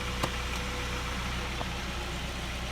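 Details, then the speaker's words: Car idling after repair; the metallic shearing and rubbing noise is gone, leaving a quiet, steady, even low hum; normal idle. "when you hear the car now it doesn't sound like an articulated lorry with its engine pulling itself apart none of that shearing noise the metal rubbing"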